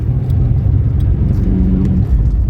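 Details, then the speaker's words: Ford Taunus Coupe Fastback V6, unused for 13 years, on a test drive; steady deep engine drone, even, no knocks or misses; silencer slightly hitting chassis and generator noise noted elsewhere; engine runs normally. "the engine seems to run nice"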